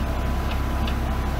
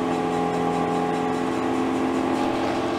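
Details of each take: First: BMW M3 Competition rear wheel turning slowly: light regular tick about twice a second over a low rumble. The owner suspects the longer wheel bolts, reinstalled after removing spacers, scrape the handbrake springs, not the wheel bearings. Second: BMW M3 Competition on a lift, heard from under the car in third gear after refitting normal-size wheel bolts: smooth, steady rear-wheel whirring with the ticking gone, only slight handbrake drag.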